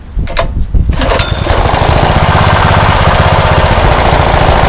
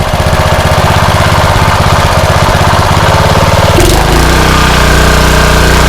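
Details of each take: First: Rebuilt blown Honda GX160 engine, choke off, after carb work: catches after a few pulls then settles to steady even low putter at idle, no misses; runs well, full throttle still slightly lean. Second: Rebuilt blown Honda GX160 single-cylinder engine, choke off, at full throttle: uneven hunting beat that steadies after about four seconds; still slightly lean suspected, cause not confirmed.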